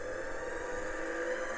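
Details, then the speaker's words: Stuck hard drive in an IBM 5160 PC XT restoration finally spins after loosening and power cycling, with current spikes: steady high whir with a rough, gritty edge; spindle bearing sounds terrible, heads still parked, head crash not ruled out. "bearing sounds terrible but it's running look at that that thing's going"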